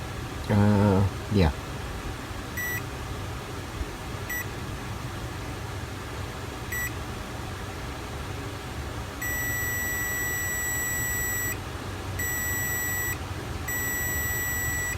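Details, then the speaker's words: Zenith 7G605 radio restoration, multimeter continuity test on a corroded lead: high beeps, short chirps then sustained tones as the probes touch; the lead is suspected of hurting shortwave or band-spread reception and will be repaired. "you can hear that beep. That might be an issue when it comes to bringing in shortwave or reception on any of those spread bands."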